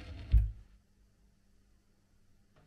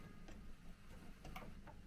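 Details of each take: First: Record player that failed to start first try, now working: a few soft clicks and a light thump over faint low hum as the tone arm cycles; normal auto-return. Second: Dual 1209 turntable with built-in amplifier (HS50), with a non-original switch: quiet irregular ticks and clicks over faint low hum as the automatic changer acts on its own; worn auto-change mechanism needs an overhaul.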